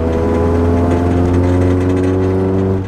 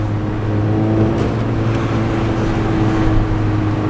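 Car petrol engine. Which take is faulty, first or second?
first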